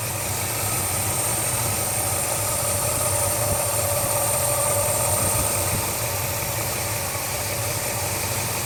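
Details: 1976 Mercury Marquis, 400 engine on a new long block, rebuilt 2150 carb, base timing 12°, low manifold vacuum, small vacuum leak suspected at the throttle shaft. Lopey, bouncy idle with a missing beat; compression and leakdown tests found one low cylinder. Rough idle.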